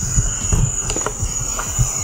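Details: Audi 1.8T turbo intake pressurised to 10 psi by compressor: thin, steady high-pitched hiss over faint thumps. Boost leak is lower down, not at the previously repaired intercooler pipe.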